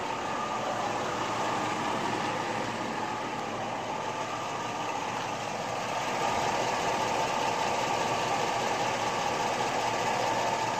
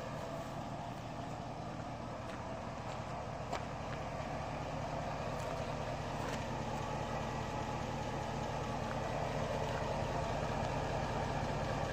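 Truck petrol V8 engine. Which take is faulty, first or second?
first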